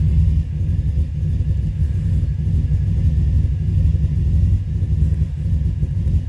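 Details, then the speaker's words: 2005 Subaru Forester XT idling rough with a deep, lumpy, uneven rumble and slight surging. It is missing, and a coil was found out. Owner thinks it runs rich and says it won't pull when the gas is pressed. Cause not confirmed. "can hear it missing found that coil [Music] out I think it's running rich but when you go to hit the gas it don't want to go"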